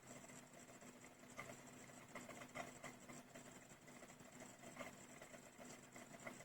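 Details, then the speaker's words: Technics SL-P333 1990s CD player, skipping and jumping, during trial-and-error trimming of VR104 and VR102: quiet whir broken by irregular ticks as the pickup hunts and fails to read; servo/focus gain trim suspected misadjusted. "Well, that's definitely not right."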